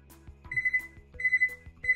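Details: Frigidaire Gallery oven control panel, being repaired for constant beeping and an error code, with the panel cover off after cleaning its contacts: crisp high beeps in runs of three with soft button clicks; key presses register normally.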